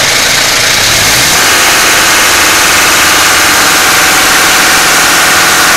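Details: Mitsubishi Pajero Exceed 2.8 TDI diesel: loud busy clatter with light rattle over it changing as revs rise; owner suspects timing chain noise, unconfirmed; engine rattle.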